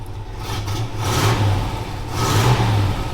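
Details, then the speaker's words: 1964 Chevelle V8 idling with light throttle swells after exhaust repair: deep, even burble, no puffing or rasp from broken pipe anymore; clean, quiet, healthy exhaust, normal idle. "Not bad to listen to. No more noise. No more nasty broken exhaust pipe sound. She doesn't sound very mean, but clean and quiet."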